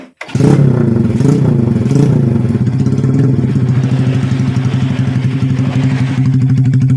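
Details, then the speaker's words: Old Vega R bored up with a Kawasaki Kaze oversize 50 piston, previously smoky and rough, after rebuild: starts and settles to a steady, even single-cylinder beat with no clatter or misses; not smoking yet; normal idle. "tank doesn't look smoking yet , but let's wait a moment, Bro, for the sound of the engine to be smoother."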